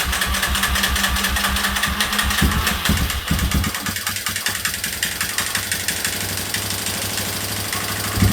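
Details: 2003 Yamaha Wolverine quad after fuel leak work, with inline fuel filter and temporary fuel setup: steady low idle putter, a little uneven at times but running fine.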